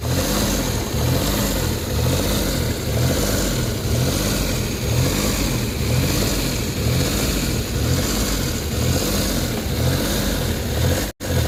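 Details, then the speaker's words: Suzuki DA17 warm idle after a few minutes of running: rpm swells and sags roughly once a second instead of holding steady, with no fault code stored; the engine is hunting at idle, cause not yet confirmed. "Okay so nakita niyo yung sistema ng engine talagang taas baba yung RPM So ibig sabihin may problema yung makina"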